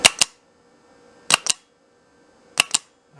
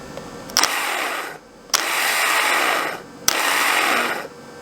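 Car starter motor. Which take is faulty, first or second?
second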